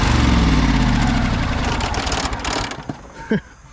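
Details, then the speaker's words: High-hour Cub Cadet 2186 lawn tractor with V-twin, freshly oiled and fueled, before coil replacement: lumpy, uneven missing beat running on one cylinder as bought, then winds down. Owner suspects a blown seal or gasket. "It should run on one cylinder. So let's give it a try. Pretty nice on one cylinder."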